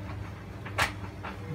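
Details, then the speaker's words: White Knight Eco43A natural-gas tumble dryer on a cotton dry, high heat, 100-minute test load. A few sharp ticking snaps about every half second over the drum's low rumble are the igniter sparking normally to light the burner. "So I press start. It starts tumbling. And then this light should come on. And we might be able to hear it sparking. Yeah, there it is."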